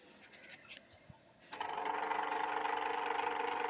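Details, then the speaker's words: Usha electric fan after rotor repair and reassembly with its cover on; the motor hums steadily with a light, even whir and no scraping or knocking, where before it made noise and would not rotate; normal running. "Fan cover எல்லாம் போட்டு assemble பண்ணிட்டோம் இப்ப run பண்ணி பார்க்கிறோம் பாருங்க fan அழகா ஓடுது"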